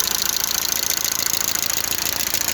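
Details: Lada engine hot at idle, oil pressure warning light on: fast, even light sharp ticking, steady throughout; hydraulic lifters clattering, likely from low oil pressure.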